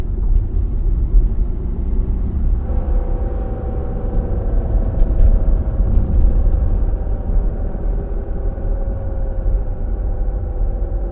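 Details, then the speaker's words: Car whines loudly off the throttle, not on acceleration, whether in neutral or in gear, over road rumble, with pitch falling as it slows; the cause is broken differential ring and pinion gear teeth. "यह देखिए कितनी ज्यादा sound आ रही है चाहे गाड़ी लूटल हो चाहे गियर में हो जब भी हम चलाते हैं जब हम एक्सीलेटर देते हैं ना तभी नहीं आ रही लेकिन जब उसको एक्सीलेटर को छोड़ देते हैं"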